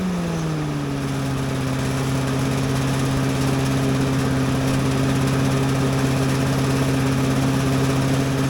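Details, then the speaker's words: Little Wonder leaf blower with a small single-cylinder Briggs and Stratton engine, just started on choke with a little throttle: a steady, even drone at constant speed with slight shaking and no knocks or misses. Normal running. "going on. Little shaking, but not that bad."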